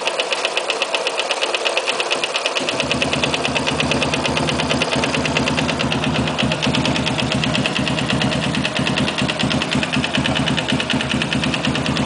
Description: knocking sound on sniper 169